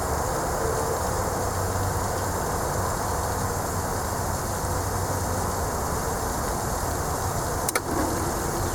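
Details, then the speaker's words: 230 V single-phase 1 HP well pump after troubleshooting: steady low hum while building house pressure, drawing about 9.5 A per leg, no clicking or surging. The motor is fine. Normal well pump operation. "There we go. Alright, you saw what it shot up to, and it's where that amp probe, and plus you can hear it running. So that was the problem, guys, and the motor is not screwed up."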